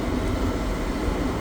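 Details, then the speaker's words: Pentair pool heater that hadn't run in a long time, gas valve purged by cycling on and off about three times: steady burner rumble with even blower roar, no popping or surging; normal running. "just as I speculated uh it it just hadn't run in a while but it's working"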